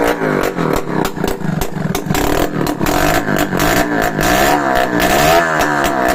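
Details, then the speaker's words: Restored Yamaha RS100 two-stroke running with no exhaust pipe fitted: loud, raw crackle with steady firing, blipping up and down with throttle. The engine itself runs clean and quiet; full-wave charging reads 13–14 V. "Parang tahimik naman yung makina niya mga kamekaniko."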